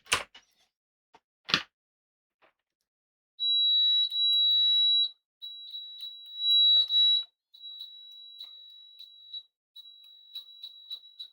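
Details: HP 34401A 6.5-digit bench multimeter continuity test: clean high-pitched beeps start instantly with each probe contact and hold steady without crackle; fast, proper continuity response, better than the Siglent.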